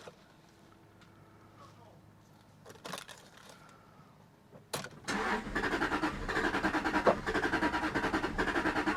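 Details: 2001 Jaguar XK8 Coupe with the AJ27 V8, not started in ten years, running on a small amount of fuel. Quiet clicks, then cranking, then a lumpy, uneven run. Owner suspects a gummed-up fuel system.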